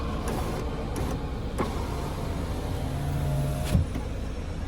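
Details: Lada Vesta SW Cross passenger power window, which squeaked when closing fully, after lubricating the slides: a steady low motor hum as the glass travels, with no squeak or scrape; operation is now normal.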